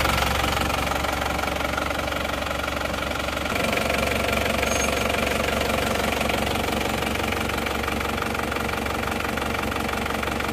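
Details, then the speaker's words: Isuzu Panther diesel after repair for blow-by and oil spitting, one liner and piston rings replaced: idles with an even, steady clatter at a constant rate, no uneven knocks or misfires; smooth, healthy idle. "Jadi ini teman-teman Mobil ini walaupun ngobos kelihatan untuk suara halus Ya sudah oke mantap dan hasilnya pun juga sudah oke ini Mobil ini ini sudah dicoba kemarin"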